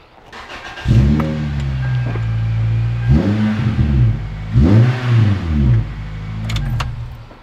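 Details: Toyota Celica after belt-squeal troubleshooting and repair: engine revs up and settles several times with a clean, smooth note, no chirp or squeal from the serpentine belt at any speed.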